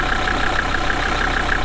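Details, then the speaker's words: Steady, smooth diesel idle clatter with no misses or knocks, heard while jump-starting a Mercedes 240D OM616 four-cylinder (sat about 15 years) from another five-cylinder Mercedes. The 240D briefly started and ran away, its fuel rack stuck wide open. "So this is the first sign of life in probably 15 years."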